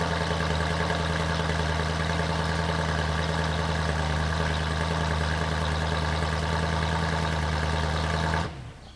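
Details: BMW M3 E92 started after over 1.5 years parked on a CTEK MXS 25 charger, last driven November 2019; smooth, even idle with steady low note, no misfire or rattle, then a clean shutdown, healthy engine.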